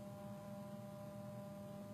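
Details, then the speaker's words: Samsung Galaxy S4 hidden service menu low-frequency earpiece test at 200 Hz, camera close to the phone: steady, even low buzz over a faint hiss, so the earpiece reproduces the test tone properly. "Hopefully you can hear that buzzing sound. 300 Hz. I can definitely hear that, so hopefully the camera will be picking up on that as well."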